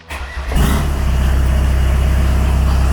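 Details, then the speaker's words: Custom off-road Chrysler van restarted after lay-up: short crank, catches within half a second and settles into a steady, even idle with no knocks or stumbles; a normal start. "il démarre vraiment aux quarts ça c'est vraiment nickel pas de trucs bizarres rien du tout voilà il n'y a pas de y'a pas de délire chelou niveau du moteur"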